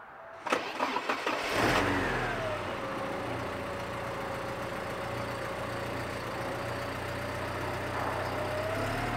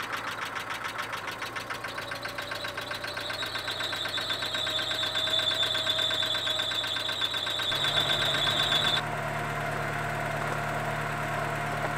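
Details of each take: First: Porsche 944 engine after a new timing belt, new lifters and a restored idle screw: brief cranking, then it catches, flares up and settles into a smooth, steady idle; healthy running. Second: Porsche 944 started for the first time after a new timing belt and new hydraulic lifters. Fast, loud, even tapping, probably from one soft lifter that has not yet filled with oil.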